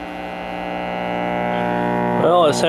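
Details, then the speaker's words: 1957 Zenith A615G AA5 tube AM radio, first power-up before repair: loud steady hum swamping everything, no station tunes in; dried-out electrolytic filter capacitors suspected needing replacement. "so it sound like you definitely gonna need electrolytic"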